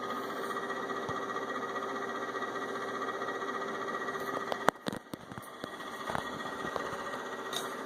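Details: Inverter with only the left cooling fan on: quiet steady hum with a faint whirring tone and a few handling clicks; noisy cooling fan.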